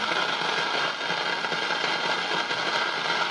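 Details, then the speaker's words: Old Philco tube radio stored over 20 years: constant hissing crackle with random pops and no signal underneath; scope on the audio and first RF grids shows leakage between the grid and plate side in both IF transformers, which need replacing. "that's the grid of the first RF so both of the Transformers are shot"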